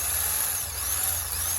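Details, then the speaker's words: Starter motor removed from a Mitsubishi Pajero, bench-tested on a battery: solenoid engages and the motor spins with a high, steady whir and no grinding or clicking; starter works normally. "solenoid is coming in, solenoid is coming in, oh It's moving and the engine turned, you know"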